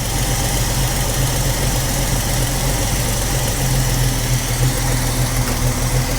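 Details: 45-year-old 2.8-litre Vauxhall Royale coupe, after carburettor swap; idle reading 1.7 against a 1.5 target: steady, even but noticeably fast, busy idle with no dip or hunt; idle speed set too high.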